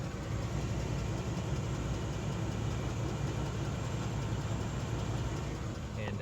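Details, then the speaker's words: 1992 Cadillac Sedan DeVille 4.9 V8 at idle, heard only from underneath the car, not from above in the engine bay: steady idle with a faint, regular light tick; oil level fine, cause unknown. "is not audible from above the engine in the engine compartment it's only audible from underneath the car and uh so i'm just trying to find out what that is"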